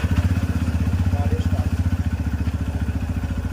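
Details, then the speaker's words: TVS Raider 125 with starting problem, started without kick or self-start by rolling in 4th gear with key on and spark plug cap refitted: single-cylinder fires and settles to steady even thump, no knocks or misses; ACG error still showing. "बिना कोई effort लगाए, single attempt आप use करेंगे 4th gear पे, गाड़ी start हो जाएगी।"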